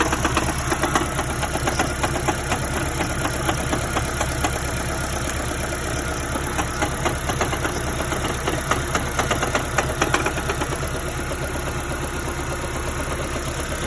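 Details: 2010 Prius (3rd generation), code P261B, failed electric water pump ignored by driver: idling engine with loose uneven knock about two beats a second; cause of knock unconfirmed.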